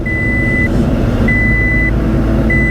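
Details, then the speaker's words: Toyota Scion tC bought at a Copart auction, being driven after a wiring harness repair: a high-pitched beep about 0.6 s long repeating every 1.2 s over engine and road noise; the seat belt warning chime works normally. "Well, the seat belt alarm works,"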